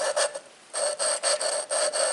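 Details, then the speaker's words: Ford 201 diesel cylinder head from a 550 TLB, valve being lapped by hand with grinding compound. Rhythmic, gritty back-and-forth rasping about two strokes a second. The valve seat is still rough and not yet lapped in. "But you should be able to hear that real rough sound."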